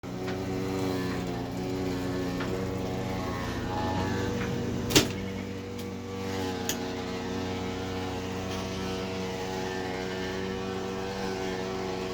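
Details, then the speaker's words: Electrolux washer: loud steady motor hum with a couple of sharp clicks and no drum tumbling; drum not turning, and pause won't stop it. "It looks like it's not even turning. I'm pushing pause, but it won't stop it."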